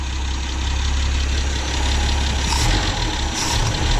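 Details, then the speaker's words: 1963 Ford Falcon (XL) Ranchero ute left for years in a wrecking yard, running off a fuel pump: low, even idle rumble held steady with no misses or knocks. Normal idle, running well until it runs out of fuel. "it's actually running pretty bloody well"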